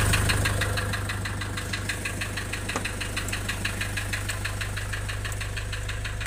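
Sharp, even knocks about three per second ride over the diesel idle rumble; a deep internal knock at idle, cause not yet pinned down.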